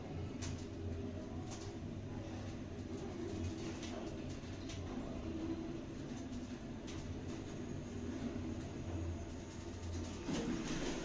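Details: Schindler 5400 lift L2 (2008, 1000 kg/13 persons, 6 stops), recorded riding inside car: steady low hum with faint rail and door clicks, smooth and even; normal elevator ride.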